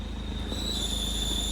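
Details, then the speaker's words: 2007 Toyota Innova, about 218,000 km, engine idling: steady high metallic squeal when the clutch pedal is pressed that fully disappears on release, with a burning smell; dry, dead clutch release bearing with no grease, complete clutch set to be replaced. "ആ release ബെയറിങ്ങിൻ്റെ സൗണ്ടാണ് കൂടുതൽ ഇതിനകത്ത് വരുന്നത്."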